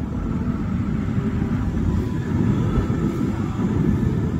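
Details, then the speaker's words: Nissan Qashqai 2 cabin blower fan after replacing the blower motor and its speed resistor, ignition on and climate running: a steady, even low rush of air with no rattle, scrape or surging; the new fan runs smoothly. "Dăm drumul la climă și da, cu siguranță merge."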